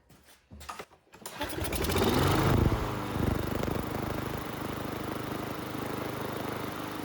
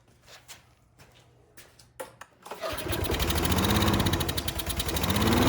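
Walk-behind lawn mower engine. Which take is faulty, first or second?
second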